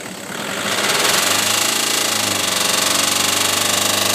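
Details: Golf GTI petrol engine revved up and held, with a steady knock about four times a second: engine knocking when revved.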